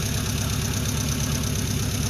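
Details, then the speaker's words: 1977 Renault R5 LeCar after revival, warming up but not hot, smoke dying down, not overheating: lumpy uneven idle with stumble in exhaust beat; owner thinks it's down one cylinder. "Okay, she's running. Not super smooth. We'll work on that."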